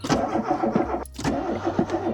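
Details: VW Polo 86c breadvan that runs rough, smokes and leaks oil under the cylinder head: the starter spins the engine in a steady, even rhythm after a battery swap, but it never fires or catches. Cranks with no start; the owner suspects the choke.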